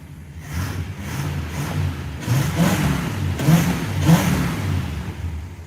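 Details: Plymouth Fury II after being restarted, a bad ground cable suspected as the no-start cause: the engine catches and pulses through several quick throttle blips, revving freely and settling back smoothly. Normal start and rev.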